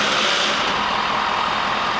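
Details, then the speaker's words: 2022 Ford F350 dually diesel after an oil change and fuel filter replacement, with fuel primed before starting: fired right up into a steady, even diesel clatter with no misses or knocks; normal idle. "Let's fire it up, see what happens. Fired right up."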